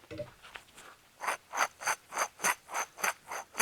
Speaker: so this is a 2006 I believe Chevy Trailblazer with a horrendously loud front wheel bearing you can actually feel it vibrating for grinding under your feet on the driver's side on the test drive